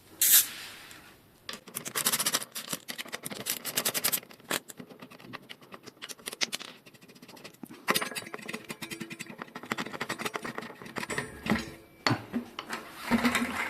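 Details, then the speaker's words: Bicycle headset worked by moving the front end: irregular sharp clicks and gritty crunches come in bursts, before the headset was dismantled, inspected, cleaned and reassembled with thread lock. Worn or dry headset; headset clicking and creaking. "Clics et craquements dans un jeu de direction de vélo."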